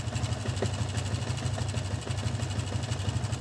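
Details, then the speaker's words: New-model Yamaha Vixion with a recent block replacement idles rough with light, uneven metallic ticking over a low drone; mechanic suspects a loose cam chain, its automatic tensioner converted to manual; cam chain rattle. "bisaar ini dugaan saya ada pada sentrik ya atau keteng biasa orang bilang"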